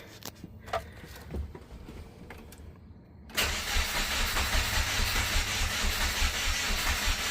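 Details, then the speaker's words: 1998 Subaru Forester S after timing belt repair, first crank then start: even cranking rhythm with no metallic clatter of valve contact, then catches and idles smoothly without misfiring; normal cranking and start. "I mean, it sounds okay. I mean, I don't think it's even misfiring."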